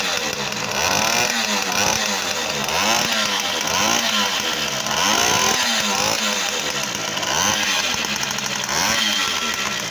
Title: В50, полный кап ремонт. Поршень дио. Движок работает идеально.